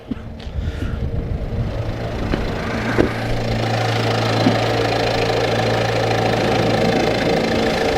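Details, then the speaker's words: 2015 Peugeot 308 1.6 BlueHDi diesel, cold start: the engine catches and settles into a steady, even idle with the usual light clatter and low hum; nothing abnormal. "so the engine let's fire it up and let's hear heart sounds cold start of the 2015 one part six liter diesel from Persia"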